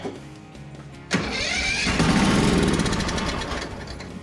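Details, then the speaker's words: Craftsman ZTS7500 zero-turn with Kohler Courage engine, first start on starting spray after valve lash adjustment: loud, uneven running with a metallic rattle over the firing beat; loose rattle, source suspected but not confirmed. "it's kind of Lou rattly but see if I get this thing off eliminate one of the sources of [Music] rattle"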